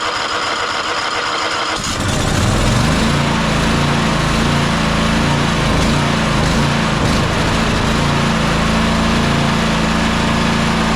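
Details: Toro Timecutter SS5000 zero-turn (model 74731), Toro-branded Loncin engine, after carburettor replacement, choked: cranks and catches about two seconds in, then steady even hum with no stumbling or surging; healthy.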